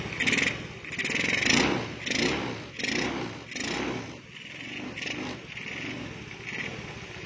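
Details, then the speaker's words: Honda Beat with standard engine fitted with a PE24 carburetor during setup: uneven idle with irregular pops and a rough hunting beat about once a second; tuner suspects mixture still too rich; popping at idle. "Nah kalau suara rangsam seperti ini Kalau menurut saya Ya nah agak masih ada bledak-beduk belum normal di bagian suaranya ya"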